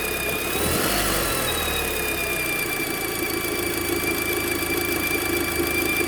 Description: Audi Mk2 8J TT strange Noise from V Belt drive area, i have removed V belt as had Changed Alternator pulley, Tensioner pulley, V Belt and Aircon Clutch Pulley sound is really heard from 1:27 but can hear faintly from beginning